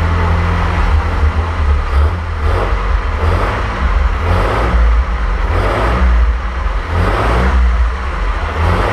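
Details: 1927 Avions Voisin C11, 2.3-litre sleeve-valve six, first start after a rebuild and about 60 years unused; repeated short throttle blips over a smooth hum with no knocks or rattles, running normally.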